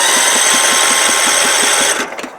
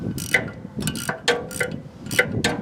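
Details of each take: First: Scotts riding mower, carburetor needle and seat stuck open flooding engine with fuel; spark plug removed, cranking to clear soaked cylinder: starter whirs with quick even chuff, no firing. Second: Scotts riding mower after carburetor replacement: sharp crisp clicks in uneven bursts as carburetor fuel solenoid jumps back and forth; normal fuel solenoid clicking.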